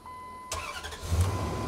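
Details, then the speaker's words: 2003 Ram 1500 pickup with a starting fault: warning chime, then a short crank that catches promptly and settles into a smooth idle. Starting is now normal; it had previously needed the key held in crank. "that's where it would crank before right I had to actually go to crank it's fixed it's fixed"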